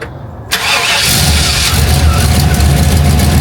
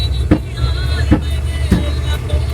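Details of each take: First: Dad's GMC 3500 truck on the stock exhaust, before a straight pipe is fitted: cranks, catches quickly and settles into an even, muffled low rumble at idle, not that loud, so a normal idle. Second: GMC 3500 truck with a newly welded straight-pipe exhaust, driving: loud sharp pops about every half to three-quarter second over an uneven engine note, misfiring and backfiring; it had stalled about three times.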